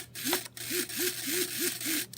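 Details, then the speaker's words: Nexa Fokker D-7 RC plane servo after lubricating the motor bushing with Super Lube synthetic grease to cure a screech: six quick smooth motor whirs dipping and rising in pitch, no screeching; normal servo operation. "no screeching noise put a little uh Super Lube synthetic grease on top of that"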